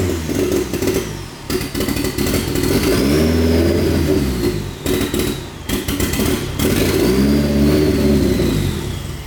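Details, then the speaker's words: Newly built turbo car (T28 turbo, custom harness) on first start with open downpipe: loud raw engine revving and settling, slightly uneven between blips but pulling cleanly; sounds healthy, cam angle sensor still needs more setting. "Besides, you know, the open downpipe thing, but engine sounds Nice and healthy."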